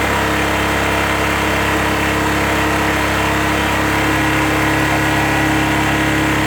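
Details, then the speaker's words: 2001 Suzuki GZ250 single, cold start on choke, gutless when cold with blueing front pipes and a suspected lean mixture: steady idle with a loose, uneven puffing tick about three per second; exhaust leak persists despite a new gasket. "you'll hear an exhaust leak that I'm hoping to take care of today as well and I changed the gasket but that didn't seem to stop it"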